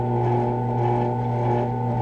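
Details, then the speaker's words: Benchtop drill press after the problem was fixed: steady, even motor hum, no longer the previous rattle or knocking. "what it's supposed to sound like not that rattle rattle rattle rattle rattle"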